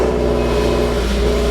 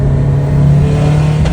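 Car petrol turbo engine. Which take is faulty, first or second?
second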